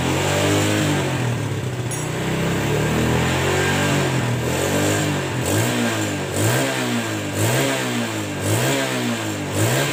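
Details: Yamaha Jupiter Z single-cylinder engine after rebuild to cure rough engine noise, revving up and settling repeatedly; even, steady firing with no knocks or rattles, now smooth.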